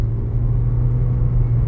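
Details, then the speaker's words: Toyota Corolla at 100,000 km, after replacing the original shock absorbers and worn suspension bushings, driven over rough pavement: only an even road rumble with no knocks or clunks. The previous suspension noise is gone. "passar nessa trepidação bem aqui na trepidação ó fica quieto o barulho parou sim senhores impressionante"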